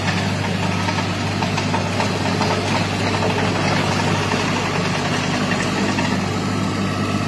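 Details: Derette XC1100 tracked loader driving on concrete before the fix: steady low engine drone with a constant rattly buzz as track resonance shakes the machine, a vibration that often damaged the engine hood lock; later resolved by the manufacturer.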